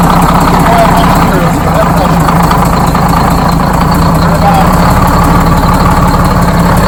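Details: Freshly rebuilt Detroit Diesel 6-71 two-stroke in GM bus 3751, idling after its first start: steady, even idle with a smooth low throb and no knocks or misses; healthy run.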